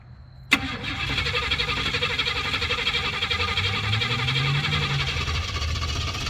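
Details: Starter whirs on steadily at about three turns a second and the engine never catches; car cranks but won't start.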